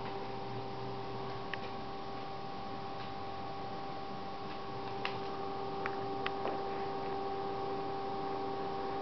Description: ps3 slim very loud